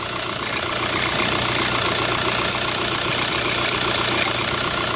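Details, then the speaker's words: 2005 VW New Beetle TDI idling at startup with the AC off: harsh, gritty grinding from the serpentine belt area. The belt was already changed. The cause was a bent-shaft replacement alternator plus a weak original tensioner pulley, and replacing both stopped it. "I'm going to turn it on and we'll see if we can hear it definitely grinding in there"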